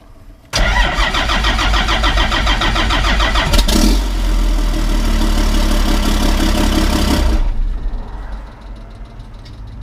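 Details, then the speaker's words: 1991 Ford F350 with a CAT 3126 diesel swap and hard starting: long cranking at about four beats a second for seven seconds. It fires briefly on oil from the can, then dies; oil pressure builds too slowly. "it's firing up and it uses the oil that's in this can to run for that few seconds and then it runs out of oil and fizzles out and then for whatever reason it's taking forever to build oil pressure"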